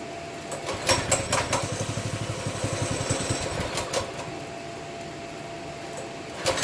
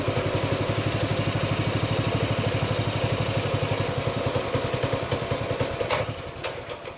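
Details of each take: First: Baja Warrior 200cc single-cylinder after loosening the chain, choked, throttle not yet right: light, fairly even putter at low throttle outdoors; runs better than before, normal running. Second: Baja Warrior 200cc single-cylinder, briefly warmed, choke taken off, throttle worked by hand: uneven popping slows, stumbles and dies after about six seconds; suspected out of gas, fuel level just below the tank pickup tube, fuel starvation.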